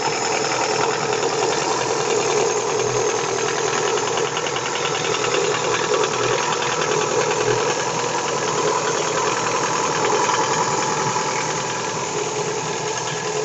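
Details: Daewoo Nexia 16-valve engine with a busy mechanical clatter and an irregular knock about three times a second under revving; worn connecting rod and piston knocking, cured by replacing the connecting rod and piston group.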